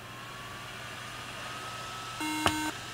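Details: Apple MacBook Pro 13-inch A1278 at power-on: one short, clear high-pitched beep over a faint background hum. This is the startup RAM error beep, traced to a bad RAM module and a bad RAM slot, heard with the original RAM reinstalled.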